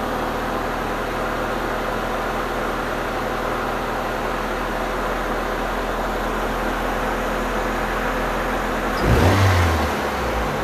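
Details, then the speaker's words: 1989 Honda Prelude after rework of a noisy valve and readjusting a squealing alternator belt: smooth, even idle with a steady low hum and no valve ticking or belt squeal; normal idle. "but it starts up and runs sounds great now listen to this"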